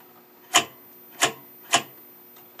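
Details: Stromberg Carlson 21TQ television during restoration, first full power-up: sharp dry snaps roughly every half second over a faint hum, arcing inside the high-voltage box causing picture interference.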